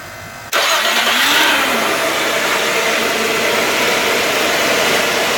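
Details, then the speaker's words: Gen4 Nissan Maxima after replacing a remanufactured starter, whose windings were suspected bad, with a new one: cranks noticeably faster and catches almost instantly, settling into a smooth even idle with no dragging crank or grinding. "yeah i could definitely tell the difference uh when cranking the motor the motor cranked over a lot faster than it did with the old starter"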